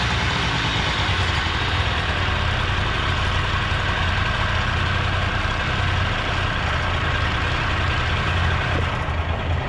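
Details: Honda Dio 18 65cc scooter, first start after engine rebuild: smooth, even buzzing two-stroke idle with steady beat, no knocks or rattles; runs healthy.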